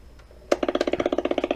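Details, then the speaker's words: Sony Dream Machine ICF10W radio on FM, right after switch-on: steady putt-putt pulsing about fifteen beats a second from the speaker, motorboating; failing capacitors suspected, not yet traced. "this noise they call it motor boating and it happened also to the tube radio as well majority of time the capacitors on it is going bad and they making those noise"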